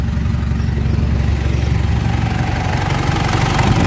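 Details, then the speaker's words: Mitsubishi L200 Triton 3.2 diesel after timing chain kit replacement, warm after 22 km road test: smooth even idle, no rattle or slap; engine noise gone, no oil leaks. "Aí, pessoal. Barulho do motor filé. Zerou. Nenhum vazamento de óleo, já conferi aí."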